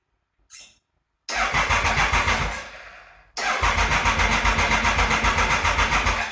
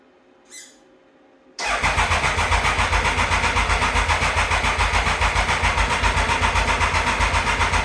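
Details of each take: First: 1996 Triumph Thunderbird, bought as a non-runner, after a sprag (starter) clutch repair: two even cranking bursts at about four turns a second with no more clanking. The starter clutch engages properly; the engine is not firing yet, possibly not getting fuel, with the choke on. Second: 1996 Triumph Thunderbird after the sprag clutch repair: a steady starter churn at about four compressions a second for several seconds that never catches; the owner suspects fuel wasn't reaching the carb and switched between reserve and the main tank.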